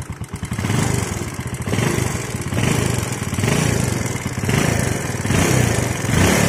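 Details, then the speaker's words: Yamaha Jupiter Z, oil about two months old: fast, light ticking that rises and falls with each throttle blip. Loose valve clearance letting the rockers tap is suspected; the clearance is to be checked first, and if normal the piston is suspected. "Oke kita akan cek untuk suara yang kemlitik ini ya kita cek dulu ini untuk lemrannya ini baru 2 bulan ya Lur"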